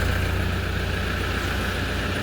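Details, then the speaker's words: Toyota Hilux KUN26 3.0 turbo diesel after fixing P0047/P2564/P2588 low-power no-boost fault and turbo vanes moving: steady even diesel rumble, no knocks or misses; boost back, no engine light or codes after road test. "road test is done we have our boost back as you can see no engine light on no trouble codes again so"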